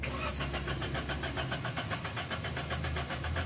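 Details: 2021 Suzuki Alto with DTC P0336, crankshaft position sensor circuit range/performance: starter churns at a steady, even beat and the engine won't catch; long cranking caused by bent crank pulley reluctor teeth upsetting the crankshaft sensor.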